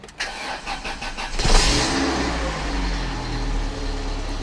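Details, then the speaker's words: 1997 Volvo 480 started after fuel filter and fuel pipework replacement and fuel pump fitting tightened; brief cranking, catches within about 1.5 s, settles to smooth steady idle; normal cold start. "I'll tell you what. It starts up without too much hassle. Okay, so it's idling away."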